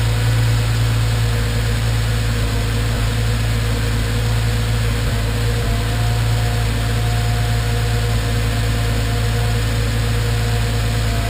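Steady low idle with an occasional brief stumble breaking the rhythm now and then; sounds like a random misfire at idle.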